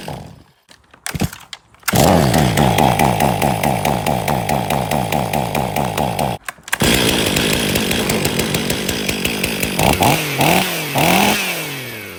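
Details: 2023 Stihl MS500i 79cc fuel-injected chainsaw, after a new fuel filter and a new NGK CMR6H plug: it coughs and sputters, then catches and holds a strong steady buzz, revving cleanly under cut. It was flooded and runs normally once that clears.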